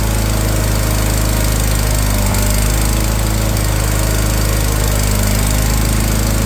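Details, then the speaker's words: Wheel Horse 416 Hydro, 16 hp, after sitting outside two years and getting a new fuel filter, started on choke with a hand over the carb: a steady, even drone with no surging or missing. Now runs smoothly. "and there she go she started up put my hand over the top of the carb sometimes will draw extra fuel through the Jets and whatnot"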